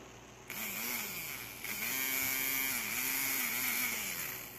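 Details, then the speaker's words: Cheap 3 V RC-car brushed motor overvolted (around 10–12 V): buzzy whine whose pitch keeps wavering instead of holding steady, its shaft wobbling loose where it should be tight; rough running. "Yeah, it's not supposed to be wobbly at all. It's supposed to be tight. Doesn't sound very pretty, but here we go."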